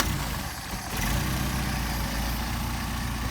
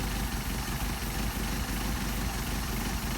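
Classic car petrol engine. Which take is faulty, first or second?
second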